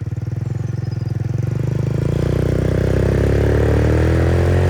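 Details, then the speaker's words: MotoBravo Roma150 scooter-engined motorcycle at 1,098 miles, running much better, on a ride: steady single-cylinder beat climbing smoothly as revs rise, no misses, knocks or rattles; running clean and healthy. "There you have it. It runs well, it sounds nice."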